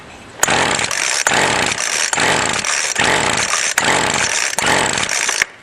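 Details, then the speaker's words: Two-stroke weed eater string trimmer, full throttle with choke after priming: high buzzing runs in uneven surges with brief dropouts, then cuts out. Runs briefly then dies, possibly on residual gas; more prime to be added. "it may have been running off residual gas let's try adding a little bit more prime"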